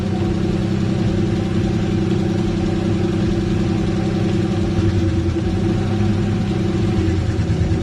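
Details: Engine run before replacing seized hydraulic lash adjusters, owner checking whether noise is top or bottom end: steady idle with a light top-end tick over the engine note, not a deep bottom knock; seized lifters, not rod knock.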